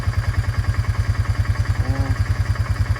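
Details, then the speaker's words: Honda Fourtrax 300 ATV idling after new exhaust install: quick steady ticking, about three per second, over single-cylinder idle; owner suspects cam chain or tensioner, not sure. "This one, I don't know. We'll see. But yeah, I think it needs a cam chain."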